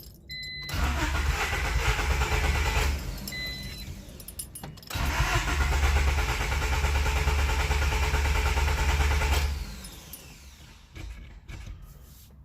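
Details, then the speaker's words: JDM D15B VTEC turbo Honda, just fitted with Acura RDX injectors and an OBD1 ECU basemap, fuel pump primes: two long cranking bursts at about three beats per second, never fires; plug wet and fouled, cause unconfirmed. Crank no start. "not starting though hmm I don't know it's a mess around with it a little bit we'll come back"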